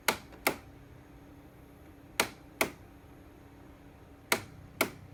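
Crisp double clicks about every two seconds in pairs over a quiet room hum; abnormal snapping from the unit, cause unknown.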